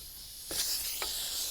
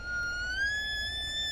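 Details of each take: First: Silicone mold-making vacuum degassing chamber, ball valve closed, compressor unplugged, vacuum hose removed: sudden steady high hiss of air rushing in from the hose, not the vessel; normal vacuum release. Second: Whoop, hear that? That means I got a leak somewhere.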